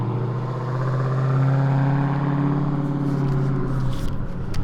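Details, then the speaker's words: 2018 Dodge Challenger T/A 392 V8 at idle just back from dealer repairs: deep idle drone with slow rising and falling pulse from the front of the engine, source unclear; exhaust also hanging; cause unconfirmed. "they pulled it back in the shop because uh two things the exhaust is hanging and there's this weird noise coming from the engine"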